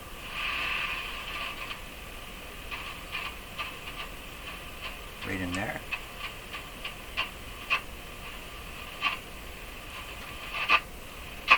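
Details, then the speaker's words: Hallicrafters S-40A shortwave receiver tuned across bands one, two and three: uneven scratchy clicks and crackles as the dial turns, which no longer sound like plates rubbing. Noisy tuning, cause not pinned down. "let's try a different band that's band One there's a band two same kind of sound and three it no longer sounds like plates rubbing"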